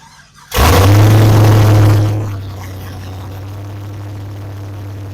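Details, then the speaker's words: 2004 Pontiac GTO V8 started after wreck restoration, open headers, serpentine belt off so no coolant pumping: loud roaring flare then deep, even, obnoxiously loud idle, no leaks; runs healthy. "but it is scary how loud it is you can't hear anything over this bar because it's obnoxiously loud"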